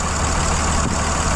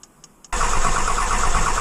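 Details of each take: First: Dodge 2500 5.9 Cummins with about 350,000 miles on its original CP3 pump, which starts hard after sitting overnight. It fires after key cycling following a starter replacement and settles into a steady, even low clatter with no misses: normal diesel idle. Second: Dodge 2500 5.9 Cummins (2003+) with nearly 350,000 miles on its original CP3 pump, sat overnight: starter churns about six seconds without catching; weak CP3 loses prime, starting hard after sitting but running fine once started.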